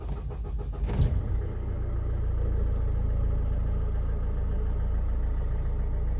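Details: Mercedes Sprinter W906 OM646 diesel after fuel filter replacement and priming the fuel pump: short crank catches within a second and settles into an even, low idle with no stumbling; normal start and idle.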